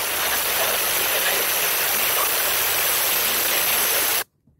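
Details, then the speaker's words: New minisplit air conditioner install: the lines are purged by holding the service-port pivot pressed while opening the valve with a 5 mm Allen key. A steady, loud hiss of escaping gas holds about four seconds, then cuts off cleanly, a normal line purge. "Como pueden ver, al abrir la llave sale el aire por donde tengo presionado hasta el tope."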